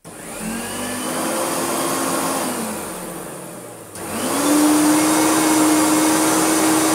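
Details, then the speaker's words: Hoover Turbopower UB088 vacuum, new in box but faulty since new, on first run: a steady motor whine sags in pitch and wavers, then spins back up unevenly, with slight speed fluttering and a little carbon dust. Cause not yet confirmed. "It runs, but it sounds like it's slowing down somewhat."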